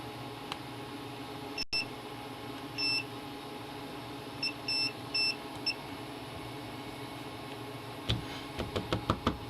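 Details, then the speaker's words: Multimeter continuity check on a TV board under repair: short high beeps over a quiet hum each probe touch, showing a line shorted to ground; owner wonders if he caused it during assembly, fault location unknown. "there's actually I wonder if I did that when I was putting it on or if that's interesting so this is yeah this is shorted to ground"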